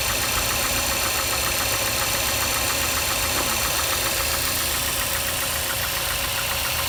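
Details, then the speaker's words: Mazda 6 MPS engine at idle: sharp, regular light knock at about three to four per second, present up to 1500 rpm and gone at higher revs. Engine knock at idle, cause unknown. "так проблема в следующем здравствуйте значит двигатель постукивает на холостых оборотах до полутора тысяч"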